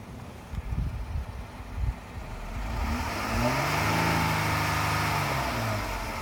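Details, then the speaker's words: 2015 Jeep Wrangler Rubicon with extras, hood open: quiet idle, then one smooth throttle blip that rises and falls cleanly straight back to a steady normal idle; engine healthy, normal rev and return to idle. "then it goes right back to the normal idle, which is really cool."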